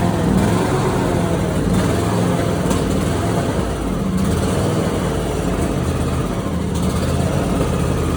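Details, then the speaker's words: Simplicity Prestige mower with 27 hp Briggs & Stratton V-twin, original Nikki carburetor, before carb replacement: rough running with sharp pops every second or two; backfiring and popping blamed on the faulty carburetor. "I'm gonna go ahead and run the mower itself so you can hear how it's backfiring and popping."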